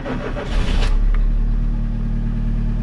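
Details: Towed-in Gazel Next that would not start. After the repair it cranks briefly, catches quickly and settles into a steady, even idle with no misses or knocks.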